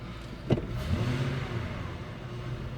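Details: 2000 Ford F150 4.6 V8 with P0301 misfire code, revved under load after wiring was moved and wiggled: deep steady roar climbing evenly with no stumbles; no misfire, something loose likely got fixed by the handling.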